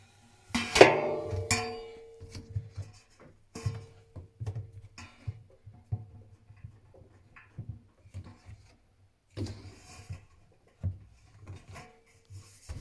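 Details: Techwood washing machine making irregular sharp knocks and clunks every second or so in a quiet room, no steady drum hum; source of the knocking unknown.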